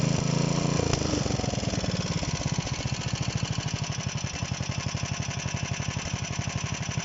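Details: DM-1 single-cylinder engine after a major overhaul: catches quickly, then settles into a steady, even beat with no knocking or misfires; running properly.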